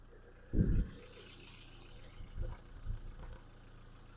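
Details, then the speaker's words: 2008 VW Caddy Life 1.6 MPI petrol with LPG fitted, manual, 210,000 km, idling: quiet, steady, even hum with no stumbles or knocks, no smoke and no misfire; engine runs smoothly. "Антифріз G12 чистенький. Мотор працює тихо-рівно."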